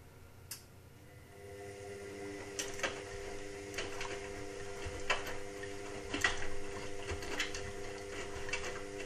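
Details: Indesit WIXL143 washing machine: irregular dry clicks about once a second over a faint hum, with no drum drive building up. It clicks for 2-5 seconds and never finishes its cycle. Stain removal, Easy iron and door lock lights flash. Fault unknown.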